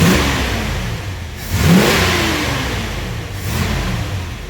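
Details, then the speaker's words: 1974 Ford Bronco freshly rebuilt V8, revving; deep crisp blips settling back cleanly, very torquey and running beautifully, healthy. "Very torquey engine. Runs beautifully."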